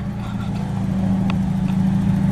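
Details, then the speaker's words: Mitsubishi Eclipse after the header exhaust leak at the bottom of the head was welded and the header heat-wrapped: a steady deep engine drone with no puffing or ticking; no leaks felt by hand, so the exhaust is sealed. "I did not find any exhaust leaks anywhere then I can run my hand down here and I don't feel any leaks at all so my exhaust leaks are totally fixed"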